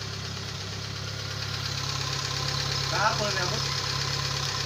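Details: Kia Pride CD5 that would not start despite new spark plugs, high-tension cables and a strong battery, now starting on one click: catches and settles into a steady even idle with a low constant hum, no misses; runs normally.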